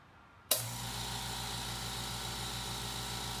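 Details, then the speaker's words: Old air compressor, since replaced by a California Air Tools 8010A, works fine but is very loud. It switches on hard into a steady motor drone with fast, even pulsing and hiss, running evenly, just noisy. "The air compressor I have works absolutely fine, does the job, but it makes a lot of noise."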